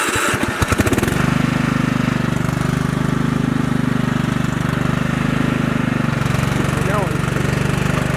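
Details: 1999 Husqvarna YTH 150 riding mower/yard tractor, heavily maintained: cranks briefly, catches within a second, then settles into an even steady low thumping idle with no misses; runs healthy.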